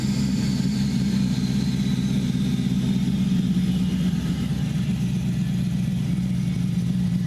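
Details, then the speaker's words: Chevy 5.3L V8 with stock cam, before NSRx Stage 3 cam swap: deep, even idle burble, no top-end ticking; quiet valvetrain, about 50–55 psi oil pressure, healthy. "actually sounds really good. Man, this thing's, like valve train wise, this thing's quiet."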